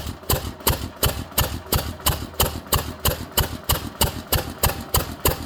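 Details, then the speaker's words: Witte 5 hp engine, cold start with fuel drawn up to the carburetor, ignition retarded: sharp, even firing bangs about three per second with a clean exhaust beat; started right up, running properly. "So she started right up. Just as long as you draw fuel up to the carburetor, and that's all it takes."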